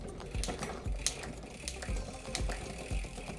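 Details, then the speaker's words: Bicycle rear derailleur with its clutch switched off: uneven rattling clicks about twice a second as the chain tries to climb to the next sprocket. It goes quiet when the cable is slackened. Chain chatter from too much cable tension. "can hear that just a little bit too much tension there trying to go up to that next rocket"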